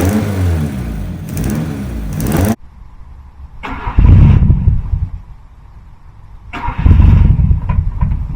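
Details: 2001 Honda Civic EJ9 with D-series engine, last run December 2018, after priming fuel pump about 10 times: catches immediately, steady low idle between blips; took two key turns first, exhaust possibly full of leaves; runs healthy.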